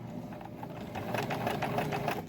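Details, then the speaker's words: Euro-Pro EP-382 sewing machine after cleaning, oiling, gear greasing and tension adjustment: fast, even needle and feed ticking, steady through forward and reverse, no knocking or grinding. Runs healthy. "Okay, and it goes forward again. And it sounds really good."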